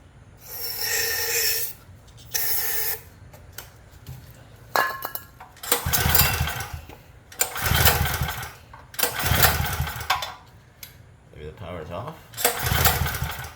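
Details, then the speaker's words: Craftsman generator that won't start, with fuel on, choke on, switch on and oil seemingly overfull. Repeated recoil pulls give short whirring bursts and never fire. It has no compression. "This boy or girl ain't got no compression."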